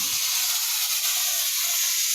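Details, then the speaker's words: Presto pressure canner with weighted gauge: steam hisses out constantly and loudly from the weight instead of it wiggling back and forth, with no rocking rhythm. Heat is too high, so the burner needs turning down. Continuous venting. "Because right now I just have a bunch of, the steam is coming out constantly from the weighted gauge here. So I'm going to turn it down some more."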